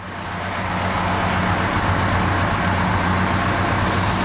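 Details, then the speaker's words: Jeep with rebuilt original Carter WO carburetor on a trip around the block: slow, lazy low idle and steady drone rising slightly pulling away, with no power from idle or from a stop; drivability problem remains unsolved. "but at the same time, it's like it's idling too low, and it's got nothing from an idle or from a stop."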